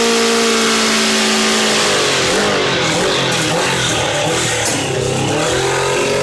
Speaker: So I got it running pretty decent.